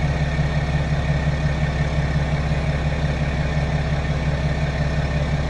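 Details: 2016 BMW 535d F10 diesel, 26,000 miles, just after fuel filter replacement and manual priming without scan tool; took a second or two to start; steady, even low diesel clatter at idle with no misses or surging, running smoothly.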